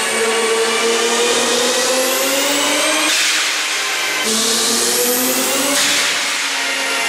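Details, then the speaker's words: Toyota Supra Mk4 on a dyno, pulls up to boost pressure: engine rises hard with a loud airy hiss over the note; boost is being lost somewhere, with a defective diverter valve suspected but unconfirmed. "Ob man da schon irgendwas hört. Vielleicht sind auch da schon Umluftventil defekt. Irgendwo verlieren wir Luft."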